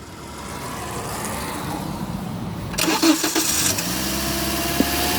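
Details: Toyota Auris with the engine running: a steady, low electrical hum comes from the alternator area. It does not sound like a metallic bearing noise, and the belt looked fine.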